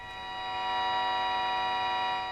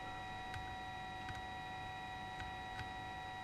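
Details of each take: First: Jaws Mark 2 CB radio with no TX or RX, during receive-coil alignment: thin steady buzzing tone swells up through hiss as tuned; reception returning but still faint. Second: Jaws Mark 2 CB radio with no TX or RX, during receive-coil alignment: steady high whistling test tones with soft clicks grow louder as the coil is tuned; signal strengthening.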